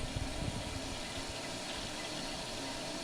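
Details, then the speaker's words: Toilet tank keeps running: continuous rushing and gurgling as the tank refills, stops for a while, then comes back on; not just the flapper, the fill valve is faulty and needs replacing. "Yeah. You only hear that sound off for a while and then it comes back on. It sounds so annoying."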